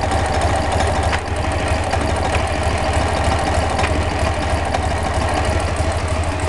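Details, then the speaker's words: Engine idling with a faint, irregular light knock or rattle over the top; owner hears a knock or noise when the clutch pedal is pressed but cannot tell its cause; clutch noise. "у меня как бы появилась такая проблема когда выжимаю вступление является какой-то шум то ли стук то ли шум Я не знаю не могу понять"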